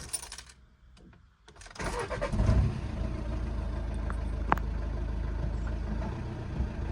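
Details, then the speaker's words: 1.6 TDI diesel (P0087 low fuel rail pressure, stalling, lumpy cold idle) cold start after injector replacement: starter catches quickly, steady even clatter settles into smooth idle, no rumbling or hunting; repaired. "you can hear the engine is pretty smooth, no rumbling, no erratic idle. So we're all good, we're all repaired."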